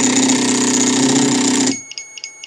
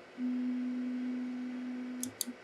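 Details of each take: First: Biqu B1 3D printer homing X axis: loud buzzing, grinding rattle as the stepper skips steps with the carriage jammed against the end, then stops abruptly; cause was a bad X endstop not triggering, fixed by soldering on a new endstop. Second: Biqu B1 Bowden 3D printer homing normally with no probe: a steady stepper hum for about two seconds, two sharp clicks against the endstop, then a brief back-off hum. The printer came in with a bad X axis endstop.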